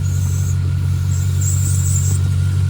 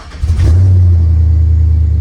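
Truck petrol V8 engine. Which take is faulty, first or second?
first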